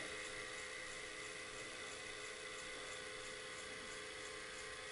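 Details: Daewoo VHS VCR after replacing a capacitor: steady even high whir with no wavering or slowing, tape running at the right speed. Normal tape playback speed.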